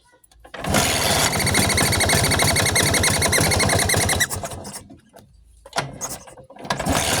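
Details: Vespa two-stroke engine at idle: rapid, fairly even clicking about four per second over the rough idle, fading as revs rise; a strange but harmless noise, cause unclear.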